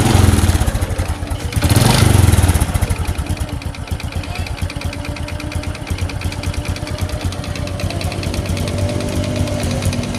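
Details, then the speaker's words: Honda Supra X 125 motorcycle engine running before teardown, hard to start with a flooding carburetor: a harsh, uneven clatter under a fast beat. The piston and cylinder block are worn from overdue servicing, leaving too much clearance. "timbul suara kasar itulah suara yang ini guys suara blok seher suara blok seher guys"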